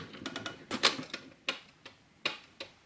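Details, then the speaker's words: Heebie Jeebies Construct-A-Clock pendulum kit, freshly assembled, running normally. Sharp, dry ticks alternate loud and soft in a steady tick-tock, about 1.5 Hz. The pendulum length can be adjusted. "there we have it that's a clock ticking away there and this this just clock ticks there one and a half foot you can hear that ticking"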